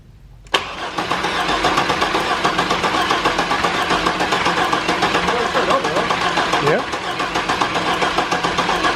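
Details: 1998 GMC Sonoma 4.3 Vortec V6, replacement engine after rod knock: starter cranks steadily at about four pulses a second but never fires; suspected timing 180 out or distributor set at the wrong angle.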